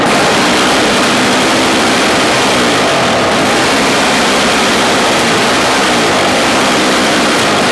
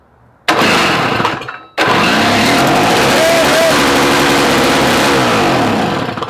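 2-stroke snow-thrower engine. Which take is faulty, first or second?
second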